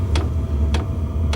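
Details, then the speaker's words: Sivel diesel heater in ice fishing shelter, just primed and fired up: light tick roughly every 0.6 seconds over steady low burner rumble; fuel pump pulsing normally, not very loud. "it's not terribly loud a lot of people complain about that pump and there other ways to quiet it but it's really not that bad"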